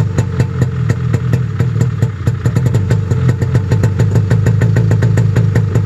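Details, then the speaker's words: Snowmobile cold-started at 28°F at 7am. Fast, even popping idle around 1500 rpm, a touch lumpy then settling; not terribly loud; healthy cold start. "that's not terribly loud well that's good last year it seemed like it would take quite a few pulls and granted i had 35 pilots in there but i also had a half degree bigger cutaways"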